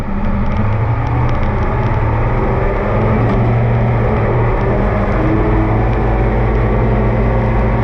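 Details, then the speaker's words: Oliver 2255 front-wheel-assist tractor on a test run after an oil service of engine, transfer case, front axle, rear end and hydraulics: a steady, even diesel chug at constant speed with no knocks or misses. Normal running; owner says everything is fine. "well i think we're in business we'll give it a quick check over here for anything leaking but i think that we are in good shape everything we've done is fine"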